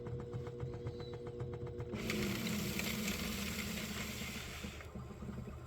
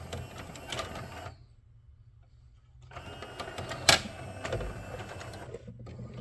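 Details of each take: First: 3D-printed third reduction gear in a CED player, freshly greased, on fast forward: light regular ticking then smooth whir with no skipping or slipping; gears mesh properly. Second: CED player (believed SJT-090) fitted with 3D-printed prototype third reduction gear and transfer rod coupling, jammed with a wedged screwdriver: the motor keeps humming under load with a light rattle; the gear's spokes fail to break as intended, risking burning out the motor.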